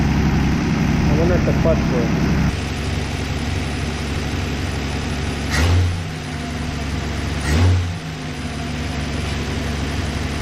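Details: 1964 Plymouth Belvedere slant six, three-on-the-tree, sat about 20 years: steady, even low idle with two brief throttle blips that settle back cleanly; normal idle.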